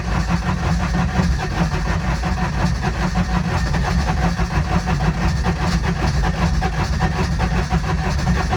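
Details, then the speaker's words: Older Intimidator diesel UTV in park with a touch of throttle, cold: heavy low chugging, long slow start; owner blames worn starter bendix for long cranking and suspects faulty glow plugs; larger battery fitted. "oh my bendix is not good that's why i crank for so long"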